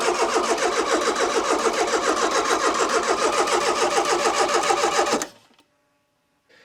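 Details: Barn-find Citroen BX 4WD petrol, not run for about 13 years, on its first start attempt after corroded ignition parts were cleaned and plugs fitted, with good spark: fast, even cranking at about 3.5 compressions a second, no firing.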